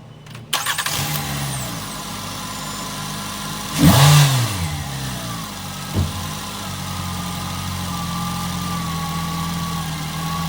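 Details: Nissan Altima, exhaust manifold crack checked for leaks: engine cranks and catches, settles into an even, steady idle with no ticking or puffing; sounds healthy and sealed.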